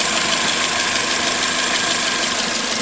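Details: 2006 Toyota Corolla, 16-valve, at steady idle: a light, fast, slightly uneven tick over engine-bay hiss; the owner suspects the intake manifold or exhaust, with belts recently replaced, and the cause is unconfirmed.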